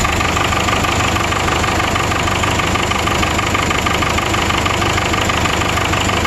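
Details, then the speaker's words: 1996 Vermeer SC1102 stump grinder, 3.9L 4BT Cummins turbo diesel with low power and oil from breather: loud idle with slightly uneven beat about three per second; bad piston rings and heavy blow-by, cylinder four suspected not running. "yeah got some bad rings but uh i'm gonna put my temperature gauge on to see exactly which one's not running"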